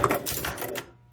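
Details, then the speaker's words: Strato-Flight pinball machine: rapid burst of relay and stepper clunks under a second, then quiet after a ball return switch hit; score unit not staying down, seemingly retripping instead of latching, something in the switch stack suspected. "See, that one didn't stay down. The reason it doesn't stay down, if I do it with my hand here, it'll stay down."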